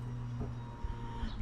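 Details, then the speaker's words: 2007 Citroen C1 after fuel sender replacement, fuel pump empty: low steady electric whir lasting a second or two as the ignition is cycled on a few times without starting, the fuel pump priming normally. "if you can hear it now, I've just turned the ignition on. I'm going to prime it up. There we go. Right. So all I did to prime it was just cycle the ignition on a few times."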